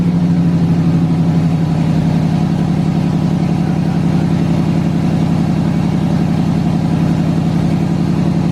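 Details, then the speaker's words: LS-swapped S10 Blazer first start, standalone harness after fuel pump priming: V8 fires and settles into a steady, even low rumble with smooth lope, no knocks or ticks; healthy idle. "running and driving and idling dude that is wild man"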